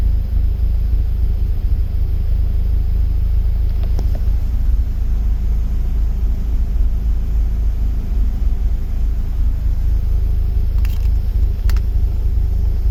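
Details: BMW E36 with M44B19 engine, intermittent rough idle: a low rumbling idle wavers, with revs sagging as the engine shakes when oxygen sensor voltage and lambda integrator drop randomly. Sensors, ignition, air leaks, fuel pressure, MAF, ICV, hoses and injectors checked; cause unknown.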